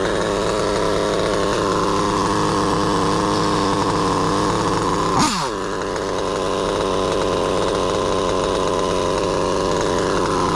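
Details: Stock Mugen MBX8T nitro truggy with a modified OS 28 XZ, Hipex 2095 pipe and B5 manifold, leaned out on the high end only, held near 40,000 rpm (about 50 mph GPS): a steady high-pitched scream with one short dip and quick pickup. Engine runs clean and strong despite a worn, skipping rear diff.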